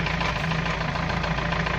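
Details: UAZ 417 petrol engine idling after the camshaft, cam gears and cam bushings were replaced: a dull, regular knock through the low, even beat; the engine still knocks but runs evenly and drives, with normal oil pressure.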